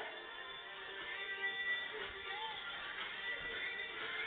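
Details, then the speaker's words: FM/DAB radio tuned to Radio One on DAB, just after Belkin Gigabit HD powerline adaptors were switched off: music plays clean and continuous with no bubbling or dropouts, reception immediately recovered; normal. "so I'm now going to turn the bellins off and see if it [Music] recovers I think you can hear that the radio has immediately recovered"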